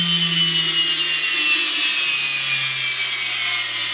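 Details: Bare Samsung washing machine motor spinning unloaded on the bench, powered from mains through a light switch: high, hissy whir with a faint low hum that sags in pitch; brush noise is prominent.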